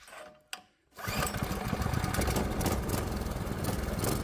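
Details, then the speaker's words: Predator 212 Hemi single-cylinder engine on the bench with a new H60 adjustable carburetor, straight out of the box: after pull-start settles into a fast, busy putter well above relaxed idle; idle set too high. "The idle's a bit high, so we'll need to drop it a bit."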